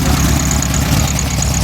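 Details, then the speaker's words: Engine after fixing high rev issue by cutting down the throttle cable adapter shaft: low, steady idle with an even beat and no hunting or surging; idle now down where it should be, normal. "Alright guys, as you can see or hear, she's idling a little better."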